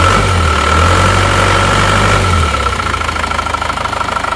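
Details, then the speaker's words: Non-Euro Isuzu Panther diesel, cold after engine overhaul, idles with an even, steady clatter and no knock; smooth and healthy, though the Euro 2 engine sounds smoother owing to its double-damped timing gear. "Saya rasa yang eururo 2 itu itu lebih halus suaranya perbedaannya hanya di berada di gigi timingnya saja"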